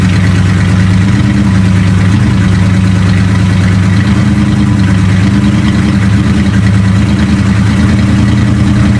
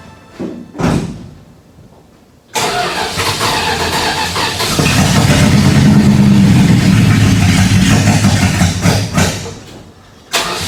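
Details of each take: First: 1976 Dodge W200 tow truck, started after sitting a couple of weeks, fresh gas, not yet warmed up: loud low idle with an uneven, lumpy beat wavering every second or so; cylinders 7 and 8 dropping out intermittently, owner hopes not mechanical. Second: 1976 Dodge W200 truck after brake booster and master cylinder work: cranks, catches and settles into a steady, even idle with no knocks or misses; starts and runs normally.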